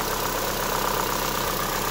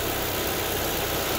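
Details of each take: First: Chevrolet Sonic 1.8 with rough idle and camshaft codes (P0366), after the camshaft sensors were replaced: quick, even light ticking about four per second over a steady idle, valve train ticking. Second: Chevrolet Sonic 1.8 after the faulty camshaft solenoid was replaced: steady, even idle with a smooth low hum, no ticking, no fluctuating revs and no camshaft codes after a test drive; a normal, healthy idle.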